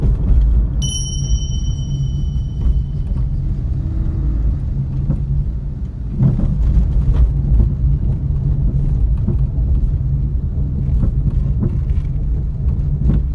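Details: Suzuki Alto test drive after replacing the steering rack with a rebuilt unit, cured clunking over bumps and manholes caused by inner tie rod play: steady low road rumble, no knocks when turning or over bumps.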